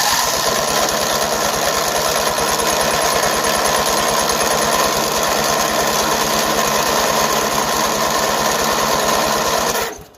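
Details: Yardman 13785L tractor with Briggs & Stratton two-cylinder engine, choke partly pulled, throttle high: strong, even starter cranking about three and a half turns a second for ten seconds, no firing. Cranks but won't start; gas line aged hard, cause unconfirmed.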